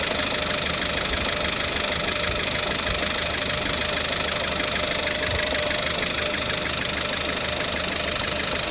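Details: VW Tiguan 1.4, cold morning idle: uneven, fairly regular light knock about three to four per second over steady hum; cylinder 1 misfire with detonation, backfires, owner suspects leaky hoses.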